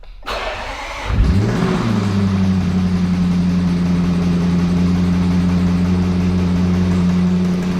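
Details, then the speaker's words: 2021 Range Rover SVR V8, salvage rebuild, cranking and idling with a steady deep knock under the exhaust note: sounds like a failed lower connecting-rod big-end bearing. "Esse barulho soa exatamente como o rolamento da parte inferior com defeito. Esses mancais ficam na parte inferior da biela."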